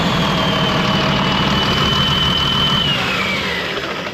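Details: Ex-US Army Cat D6R bulldozer, 822 hours, first start after sitting inoperative: big diesel idling with lumpy, uneven beat and missing pulse; running on five cylinders, faulty injector not clicking well; new injectors ordered.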